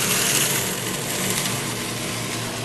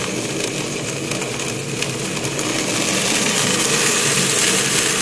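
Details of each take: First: Pump in a cavitation demo with an acrylic tube: the rock-like rattle of cavitation eases as the suction valve is reopened and suction pressure rises, ending bubble collapse and leaving a steady, normal pump hum. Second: sounds like rock literally like rocks going to the pipe and again we cause it by dropping too low of a pressure causing flashes to occur and when the pressure rises again the bubbles collapse and that's where cavitation occurs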